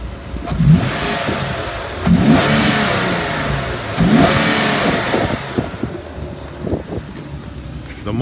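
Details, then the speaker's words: 2014 Infiniti QX70, rebuilt title, stolen-recovery, 18,000 miles: three clean revs climb quickly in pitch and drop smoothly back to idle, no knocks, misfires or rattles; responsive, normal revving. "The motor really sounds good. I'm gonna rev it up for you so you can hear it."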